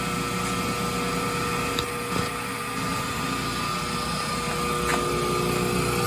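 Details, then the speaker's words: Small three-phase motor on the ground, run from a rotary phase converter's transformer output of about 457 to 467 volts: steady electrical hum with an even whir underneath, no knocks or rubbing; it runs smoothly. "and to prove it use a three-phase motor right here on the ground and with the flip of this switch it runs"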